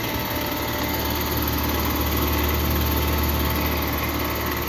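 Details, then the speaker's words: Heat pump outdoor unit, 3-ton, 2017, about 7–8 years old and still cooling: the compressor runs with a loud, steady, rough buzzing drone, noisier than normal; owner suspects the compressor, possibly low refrigerant. "Yeah, that's the compressor. It's struggling."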